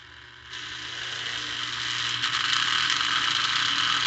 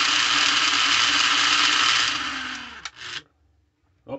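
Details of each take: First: Lionel 1948–50s plastic-case Scout motor (#1110 2-4-2) on a test stand after cleaning the brushes and commutator: buzzy high whir climbing smoothly as speed rises; still noisy, normal for this motor, with better slow-speed control. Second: Lionel plastic-case Scout motor (#1110 2-4-2) after cleaning, testing the reversing mechanism: steady high whine cuts out abruptly after the direction change, then a couple of clicks; the reversing unit jams, which happens occasionally with these.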